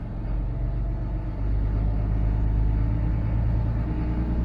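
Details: Yacht port engine start with a little throttle during alternator and battery combiner check: deep steady rumble picking up after a second, then even with no knocks or misses; voltage rises 12.6 to 13.6 V, healthy.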